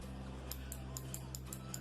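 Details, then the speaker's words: Appliance lid interlock switch (as used in washers and microwaves) operated on the bench in a quiet room: sharp little clicks, about eight in two seconds, over a low hum; switch changing state normally. "o que denuncia quando o interruptor está ativo, não é isso? Às vezes a gente vai fazer o atendimento e a gente precisa de silêncio no ambiente para poder ouvir esse barulhinho, ok?"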